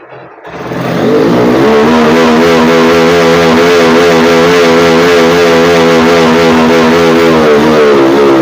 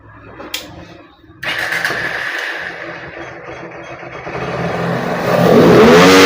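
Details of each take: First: Honda X-Blade motorcycle single, low pickup complaint, fuel tap and carburetor diaphragm already replaced: with local air filter fitted, note sags flat instead of climbing; without filter revs freely to 11000 rpm; restrictive aftermarket filter, replaced with genuine Honda. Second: Honda X-Blade motorcycle with the local aftermarket air filter removed, revved at full throttle. It picks up cleanly to 11000 rpm with no stumble. Normal free revving.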